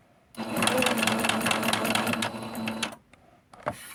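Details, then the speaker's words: Sewing machine just oiled while hunting the noise: quick rhythmic clatter about four beats a second, a metallic clank each stitch cycle that seems to come from the left; clanking noise, source not yet found. "It sounds like the clanking is coming somewhere from the left."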